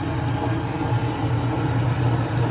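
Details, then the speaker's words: Dishwasher after fix: steady low rushing pump hum with no clanking; the earlier clanking was caused by a screw and small part hitting the propeller, now removed. "no clanky clank good to go"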